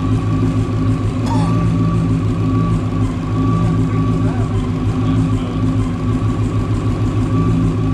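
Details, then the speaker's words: 1993 Mustang GT fox body, Coyote V8 swap with Whipple supercharger, first start on base startup tune: deep steady idle with faint blower hum, no misses or stumbles; running well. "That's a hell of a good startup tune because it's actually running really good."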